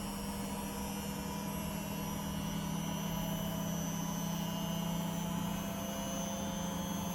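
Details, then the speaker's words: Beko WTG620M2W slimline washing machine, empty drum spinning up after plug fitted: even steady low motor hum, no knocking or scraping, drum speeding up smoothly. Normal spin. "i could run on the cotton 90 and see if it gets any dirtier it's speeding up"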